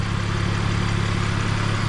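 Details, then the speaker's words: 2001 BMW E46 325Ci, 170,000 miles, idling after a Motor Medic engine flush and oil change meant to cure a loud abnormal ticking: even, smooth low idle, loud tick gone, only the normal faint ticking remains; normal idle. "That normal ticking, that's it's always been there. Every engine sounds like that."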